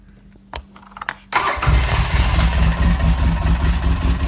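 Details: 2013 Polaris RZR 800S that wouldn't start, after cleaning the faulty brake safety sensor under driver's seat: a few clicks, short crank, catches straight away and settles to steady idle; normal start.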